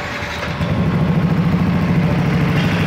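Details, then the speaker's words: Yamaha NMAX scooter at 58,238 km, after replacing the worn piston and cylinder bore that caused ticking at idle. It now idles smoothly and steadily with an even low thrum and no ticking; sounds normal. "ini bunyinya sudah kembali normal."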